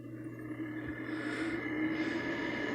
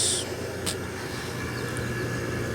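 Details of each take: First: Window air conditioner: steady low hum with a faint higher whir over the airflow; fan is noisy, owner unsure if it's bearings. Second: Kelvinator Masterpiece 12,800 BTU window air conditioner first run after sitting a decade and a half, low cool with compressor on: even rush of air over low steady hum and faint high tone; runs normally though not quiet.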